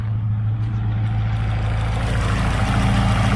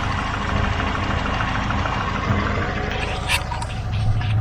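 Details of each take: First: Chevrolet Aveo T250, nearly warm, switched from petrol to gas: even, steady low idle with a regular beat and no shake, while it shakes again back on petrol; normal idle on gas. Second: Chevrolet Aveo T250 with an added gas (LPG) system, engine nearly warm, idling on petrol: a lumpy, uneven, shaking idle (misfire) that runs smoothly on gas. No fault codes stored; one injector is getting no signal.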